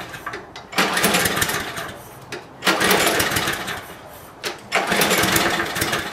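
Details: Lawn mower cold start after draining fuel bowl (fuel with some water and dirt), air filter off: three pull-cord cranks, each a short burst of chuffing that dies away; never catches, spark plug next to check.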